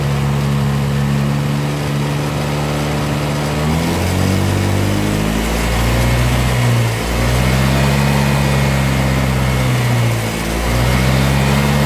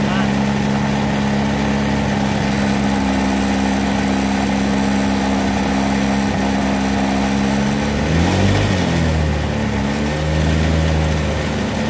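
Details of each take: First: Vario 125 fuel-injected scooter, intermittent stumbling despite normal fuel pressure and clean scan; fuel pump suspected, water in tank suspected: revs rise and fall with brief sags, hesitating, won't take throttle. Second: Honda Vario 125 scooter with intermittent stutter, after fuel pump replaced and water-filled tank found: even engine drone holding steady, rising and falling smoothly with throttle, no sputtering or cutting out; fuel delivery sounds healthy.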